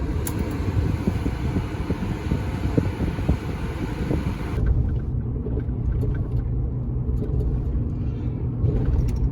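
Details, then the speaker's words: Ford F-150 5.4 3V while driving, after swapping the alternator, replacing the dry rib pulley bearing and greasing the other: steady road and engine rumble with the power-steering-type whine 100% gone; healthy accessory drive. "Proud to report, one replaced bearing, greased up the other one, and the power steering whine noise is 100% gone."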